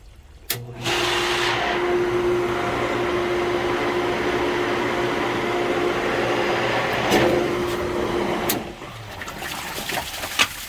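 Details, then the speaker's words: Pool pump that will not prime, back-pressure test: motor starts with a steady hum and a faint airy rushing tone; air leak at the pump lid O-ring, which may need replacing. "Okay, let's see what's going on in here. So we'll try to lube up the O-ring, but it looks like it may need to be replaced."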